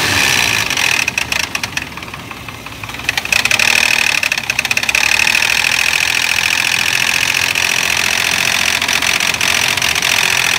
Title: Toyota Prado 2004 1GR-FE engine, knocking noise, FAULTY vvti unit.